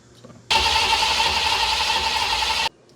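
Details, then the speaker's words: Foxbody Mustang 5.0 HO with T5, first start attempt after engine install: sluggish, whiny starter cranking too slowly to fire, no start; timing light strobe barely flashes. Cause suspected, not confirmed. "no, it's just not spinning fast enough. Whenever it flashes, it's like at the slowest strobe you've ever seen."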